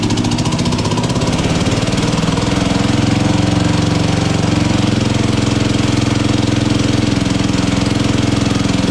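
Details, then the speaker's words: MTD drag-racing lawn mower, single-cylinder, revived after about 8 years sitting, carburetor worked on; loud idle a touch fast, quick beat about three per second, slightly uneven, from the worn carburetor throttle shaft. "I got it to idle it always idled a little bit fast with that poring the way it was on there but also the bottle shaft on the carburetor is a little bit worn too so it'll make it idle a little fast"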